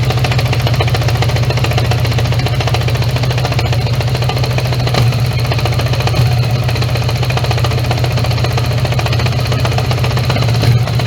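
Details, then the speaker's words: 1980 Honda Gold Wing GL1100 flat-four, carbs freshly overhauled, started cold (about 3°C) with idle raised: uneven, lumpy beat with occasional stumble, not running on all four; owner suspects carbs out of sync, needs warm-up. "Yeah, it doesn't run on all fours all the time. So, let's uh give it some time and let it properly heat up."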